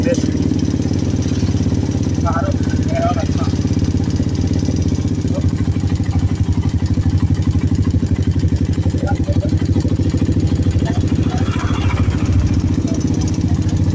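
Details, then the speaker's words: Suzuki Satria FU150 after an engine teardown and reassembly with fresh oil for a severe front-engine rattle. An even, fast single-cylinder idle with no loose chain rattle. A slight noise remains from a badly worn camshaft that was not replaced. Normal idle. "tidak seperti yang tadi awal ya. I. Oke, karena tadi kan ngelotrok parah ya."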